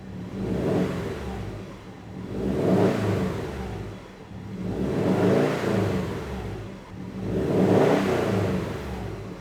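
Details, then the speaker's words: Rebuilt EJ257 engine in 2015 Subaru WRX STI, first start after rebuild, warming up with thermostat not yet open: four smooth blips rising and settling cleanly, revs nicely with no knocks or misses; healthy engine. "Revs nicely. It's not going any higher than where it's at."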